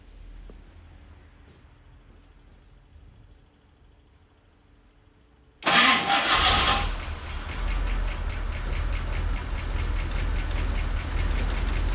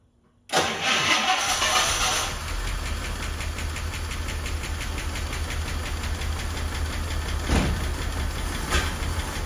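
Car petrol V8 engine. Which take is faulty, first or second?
second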